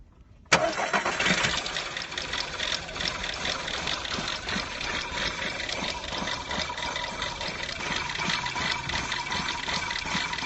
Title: Engine #2 - Cold start misfire?